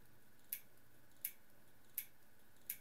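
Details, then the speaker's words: Laptop hard drive, same model, after swapping its controller board with an identical drive's: four sharp dry clicks about every 0.7 s, never comes ready; drive not detected by the OS. "that one's clicking as well and just to double check it doesn't show up in the os the os cannot see the drive at all"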